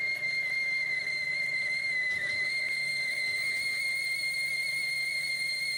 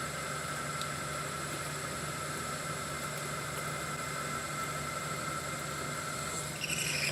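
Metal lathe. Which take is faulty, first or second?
first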